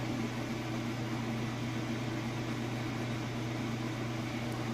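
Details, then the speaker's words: Kenmore washer (used, fully tested) during first rinse cycle high-speed rinse spin: steady, even low drum hum, no knocking or wobble thumps; great balance, no issues, healthy spin. "So that drum is getting up to speed and going really fast. Sounds good. It's got great balance and no issues whatsoever."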